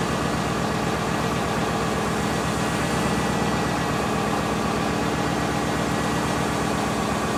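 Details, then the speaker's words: Subaru engine with top end refreshed (head gaskets, timing) but bottom end not rebuilt; idle carries a dull regular knock at a steady rate, owner suspects early rod knock, before trying Lucas oil stabilizer. "But the engine has developed a knock. I did not rebuild the lower end, the bottom end of this engine when I refreshed it."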